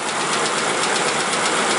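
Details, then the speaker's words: 2004 Mercury Mountaineer 4.6 V8 warming up as the idle slows: a fast, uneven slapping tick from the front of the engine that alternates rather than ticking solidly like a lifter. A loose timing chain is hitting the cover, and it is getting worse. "That is coming from the front of the engine. It's the chain bouncing around, hitting either the aluminum cover or the top of the valve cover. See, it almost sounds like a lifter, but it's not, because a lifter would be a solid tick."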